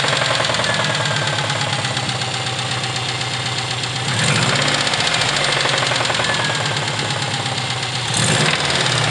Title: subaru ej20g engine knock